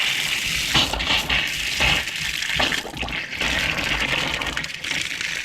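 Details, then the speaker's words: Outside water line fed from a newly installed boathouse pump after winter freeze: water rushes out in uneven, spitting surges with gasps between, trapped air purging. "Blowing out a little air."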